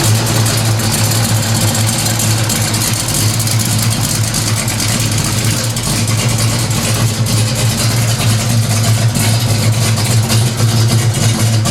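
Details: 1970 Pontiac LeMans 455 V8 with Violator pipes, Turbo 350 transmission, fresh Schaeffer's 20W50 oil after ~1,000-mile oil change and new Type F fluid, cold start: deep steady burble, even rumble, no knocks or ticks; healthy idle, no leaks.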